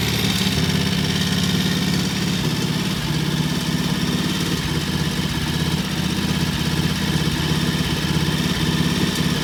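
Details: Vintage British T20M single, idle set high for its "EP system": even, brisk beat held at a steady raised speed with no misses or clatter; normal fast idle.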